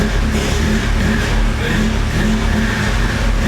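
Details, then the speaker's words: Audi S3 (EA888) with a Stone valvetronic catback exhaust, reassembled after coolant work with the throttle body plugged in: loud, deep exhaust rumble catches and holds steady with a few throttle blips. It runs cleanly; whether the coolant holds is still unknown. "yes please tell me that worked i fixed okay so only time will tell now whether the coolant will hold"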